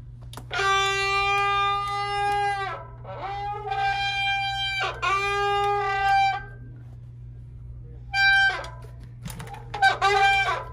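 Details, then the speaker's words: Loud honking one-to-two-second squeals as a road bike's disc brake is applied, from pads and rotors contaminated by oil, before cleaning with disc brake cleaner. "Usually my solution for this is to go ahead and get rid of the pads and the rotors, just replace them."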